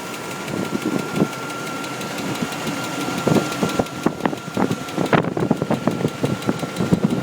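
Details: 1998 Chevrolet Tahoe 5.7 V8 idling with uneven knocks over a steady hum, loudest late in the clip, after an intake gasket replacement; now has low oil pressure, internal knock of unknown cause.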